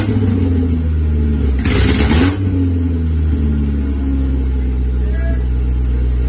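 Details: Isuzu Rodeo 4ZE1 after a top-end rebuild, restarted with no exhaust fitted and only oil filled, no coolant: even, steady, loud open low rumble with one brief blip, smooth and regular. Normal idle without exhaust.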